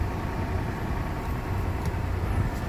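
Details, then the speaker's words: Toyota 4Runner 1GR V6 after replacing all six spark plugs and the coils for a persistent misfire: low, steady idle with an even beat, no stumbles; check-engine light not blinking, a bent pipe also corrected. "start the car see if on the cylinder if there's any Miss fire on the dashboard this guy was B a misfire there is a misfire the check engine light should be blinking it's not"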